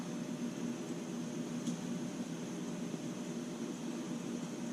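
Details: MSR Whisperlite Universal stove burning 190-proof grain alcohol, valve partly opened and left to stabilize: a steady, even roar with no spitting or pulsing. Normal stable burn.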